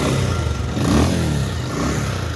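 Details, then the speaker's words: 2019 Bajaj Pulsar 150 UG5, engine earlier rebuilt by a mechanic and not done properly: rough, uneven clattering run with loose rattle and ragged exhaust beat, near stalling; bike keeps cutting out and smokes from the exhaust; before engine oil and two spark plugs were replaced. "Engine कैसे noise कर रहा है मैं कह रहा गाड़ी में तेल बहुत है ये बार बंद क्यों हो र धुआ फेंक रही है पीछे से"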